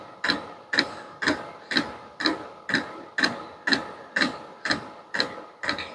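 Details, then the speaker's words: Vevor diesel heater at its lowest setting, hot after running: slow steady sharp clicks about two a second with a faint hum and exhaust flow behind; one fuel drop per click, normal dosing pump. "right there's the fuel line like I said just a drop every click right so that Line's not even full"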